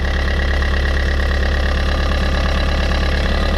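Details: Fiat 500 restarted with the alternator freed from its belt; with the belt on it scraped: now a steady, even petrol idle with a low regular pulse and no scraping or grinding.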